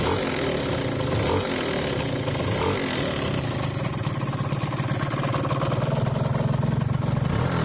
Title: Runner 180 weird noise on new engine